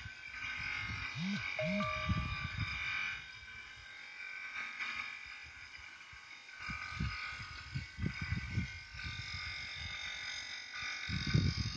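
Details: Renault with the engine off: steady electrical buzz continues with irregular low thumps. Noise started after the air conditioning was serviced, and the owner was told it would clear itself.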